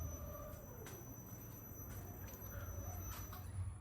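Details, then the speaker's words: Rear BWI adaptive magnetorheological monotube shock absorber (with spring) from a Lamborghini Aventador SV/SVJ, on automatic dynamometer test stand: deep pumping rumble with sharp knocks each stroke, extremely asymmetrical graphs; gas passed the separator into the oil, foamed oil from worn seal. "Right from the start we can see… extremely asymmetrical graphs — really poor results. You can even hear the knocking."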